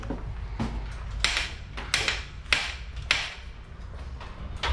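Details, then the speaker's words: Giant Trance e-bike neglected since 2019: sharp, irregular clunks each time the rear suspension is pushed down, from worn Maestro rocker link bearings, before the six bearings were replaced. "Non mais là il y a un truc qui est pété dans le cadre là. C'est pas possible."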